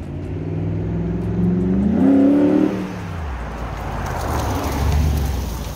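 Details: 2006 Jeep Grand Cherokee WK 5.7 L V8 after replacing the cracked front muffler with a Magnaflow glasspack: revs up smoothly and settles with a deep, even exhaust tone, no puffing or ticking from a leak; normal exhaust note.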